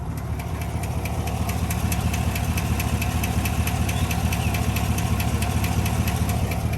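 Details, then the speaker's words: 2021 Chevy Silverado LT Trail Boss 6.2 V8 at 5,177 miles, after cruising: steady fast metallic ticking over an even idle, no check engine light; owner suspects a dropped lifter, transmission briefly felt like slipping. "something is jacked up on my truck right now legit i'm pulling over 5177 miles but it dude it's ticking"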